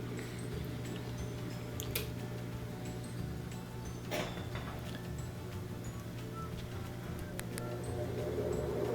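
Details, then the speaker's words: GE Laundry Center stacked washer that would not spin, after a new lid lock was fitted: the washer drains and spins with a steady, even low hum and no knocking or grinding, a normal spin cycle. "we can hear it starting to make its its draining and spinning sounds so that's all it was pretty easy fix"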